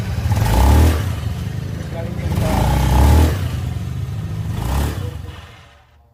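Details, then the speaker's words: Honda Beat scooter after regluing the CVT clutch bell cover plate: three short rev blips with a low engine note, and the squeal on throttle is gone. "nah berhasil ya jadi suara nyericit yang tadinya itu saat digas suara nyericit itu bunyi sekarang sudah hilang"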